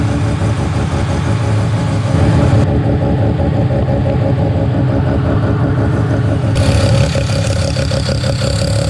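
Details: Mazda 13B rotary on EMPI IDA carburetor, after replacing the fuel regulator that wasn't holding pressure: regulator set from about 2 to 3.5 PSI while running and holding steady; buzzy, even idle with brief throttle blips settling cleanly. Normal idle.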